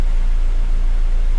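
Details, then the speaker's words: Used car being checked before purchase: short, even low idle in gear, no ticking or rattle on top; listening for weird noises at startup, none heard, timing sounds good; normal idle. "so then you want to start the car you know listen for any weird noises okay i don't hear anything timing change sounds good"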